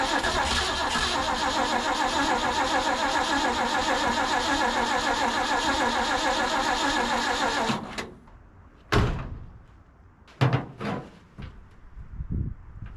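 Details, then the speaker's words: Abandoned 1950s Ford F5 tow truck with its fuel line hooked up cranks steadily for about eight seconds at roughly 3.5 turns a second and never fires. It is not pulling fuel, and the owner suspects a bad fuel pump. "some reason we're not pulling fuel I don't know if maybe the fuel pump's bad"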